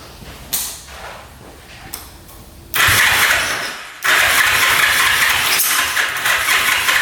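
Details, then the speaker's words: 1974 Yamaha TX500 after 27 years in a barn, choked, oil poured into both cylinders, about 50 start attempts: long bursts of starter whir and churning that puff but never catch; no-start from low compression. "Well, I have attempted starting this thing probably 50 times now. Putting oil down there, trying to start it."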